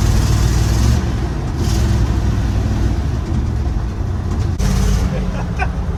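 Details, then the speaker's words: 1955 Chevy dump-bed truck, sat 23 years, peppy small-block V8 with cherry bomb mufflers, driving on the road: deep, throaty burble pulling evenly under road noise; normal running. "Oh, this thing is great. Big Peppy, too. It's a peppy little small block,"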